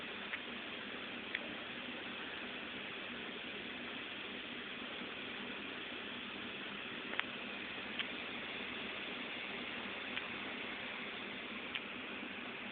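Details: Failed Seagate 500GB 7200RPM Free Fall Sensor laptop hard drive from a Dell XPS16, three months old: soft hiss with sharp irregular clicks, about five in thirteen seconds; failing read head, click of death.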